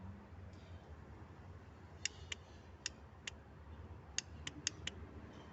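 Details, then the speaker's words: Honda CBX 250 motorcycle, battery tested normal, power reaching relay and starter motor, starter brushes recently replaced: only sharp irregular single clicks with no cranking; starter engages but won't turn and the bike won't start. "tá chegando o carro aqui na no motor de arranque mas quando você liga ela ela faz essa estrada"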